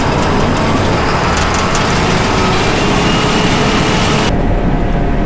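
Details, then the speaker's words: Worn combine back in the field after header chain repairs, guard left off to monitor chain; loud even mechanical roar with light ratcheting chatter, no surging, combine and header drive running normally. "now that we're all the way back out in the field let's fire it up and make sure everything's running"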